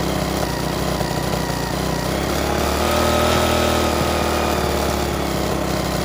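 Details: Restored rusty 3.5 hp Briggs and Stratton single-cylinder flathead (new gaskets, filter, spark plug), first run after rebuild: a steady, even beat of about four per second with no knocks or misses; compression very good, normal running.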